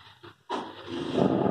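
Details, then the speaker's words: Small IC-based amplifier: at switch-on it breaks into a rough, sputtering, crackling growl that swells over the next second, and the same noise occurs during playback; the fault is still to be diagnosed. "ये on करा, on करते ही gutter gutter gutter आवाज़ आ रही है। ये programme के साथ साथ ये आवाज़ आती है इस एम्पलीफायर में।"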